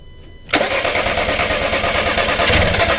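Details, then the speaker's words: VW Passat no-start: the starter cranks the engine unevenly and it never catches. Spark at the coil is only occasional and very weak, traced to a bad sensor ground. "yeah I I'm getting I am getting spark on occasion but it's very weak yeah we may have some other wiring issues as far as why the spark is weak"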